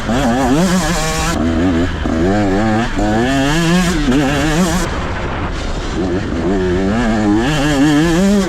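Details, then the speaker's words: 2023 KTM 125 SX fuel-injected two-stroke, onboard, pulling out of corners: crisp note climbs cleanly in pitch each time, no bogging or stumbling; normal acceleration. "But here's a few clips of me just kind of pulling it out of corners. You can just hear how it just picks up."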